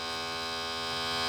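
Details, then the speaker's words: Lennox CD radio with stuck tray: display shows open, a thin steady high-pitched motor whir with no tray movement; motor works, slipping or broken drive belt suspected. "If we I think well it's saying open on the screen here and it's just trying and nothing's happening. So the motor's working. I would suspect it's just a belt."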